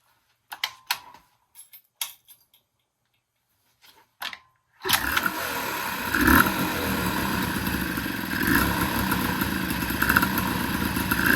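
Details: 1983 Honda Aero 80 two-stroke in a Dio build, first startups after fuel issues fixed, new exhaust and slide-carb throttle cable: clicks and rattles, then it catches and runs with a buzzy, raspy note, blipping unevenly but pulling cleanly.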